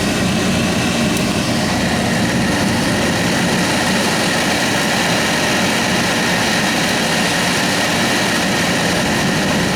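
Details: Saab heater blower motor after ice jamming it was cleared: steady even rush of air with no scraping or ticking, blower spinning freely and sounding healthy.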